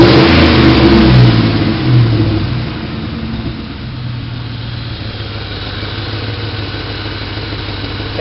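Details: 2003 Ford Mustang GT V8 given light revs, then a steady low rumble with a faint pulsing puff; a shop suspects an exhaust leak at the header-to-mid-pipe flange, hurting fuel economy.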